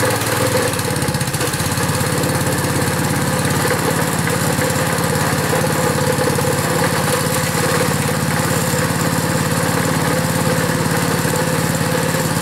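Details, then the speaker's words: Honda pull-start small engine cold-started after hard pulls and failed attempts, unit not mounted down: steady, even putter at fast idle with no stumbles or knocks, running smoothly on its own after cold start. "Anyways, that one seemed to go."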